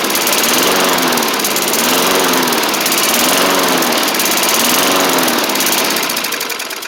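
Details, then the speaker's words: 1990s MTD Yard Machines push mower, old-style Tecumseh primer engine, first running on its own after revival; buzz swells and sags about once a second with no steady note, throttle not sorted, rough running, surging. "Okay, so I do need to get it to run a little better. Again, I got the throttle thing to sort out still, but we are running, which is good."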